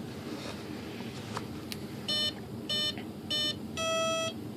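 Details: Hobbyking Sunbird 1.6 m glider with a new ESC on the throttle channel; motor wires were swapped to correct spin direction. Three short, evenly spaced tones, then one longer beep; normal ESC arming.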